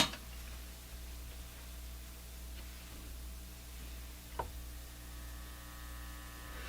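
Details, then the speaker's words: Canadian General Electric C67 tube radio on outdoor antenna, volume high: only a low steady hum through the speaker, scaled by volume control, no stations; suspected high-impedance input to tube, possibly power supply filtering, unconfirmed. "So that sounds, well, the volume control is voluming this tone, this hum. But to me, what that sounds like is a high impedance input to the tube."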